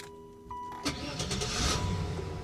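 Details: Buick Roadmaster with 195,000 miles, serviced 1,000 miles earlier, restarted at a salvage auction: brief crank, catches at once and settles into a smooth, steady idle with no warning lights. Healthy start.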